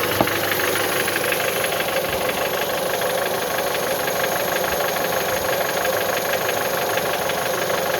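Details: Mitsubishi 1.8 engine idling with a light, fairly quick tapping about three times a second over the run; engine knock, cause unknown.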